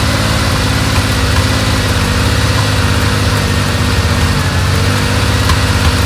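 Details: 1970 Porsche 911 T during a pre-purchase inspection, first cold start while warming up: loud, rough, lumpy idle with an uneven beat and an obvious misfire, plus a deep vibration felt; engine misfire at idle.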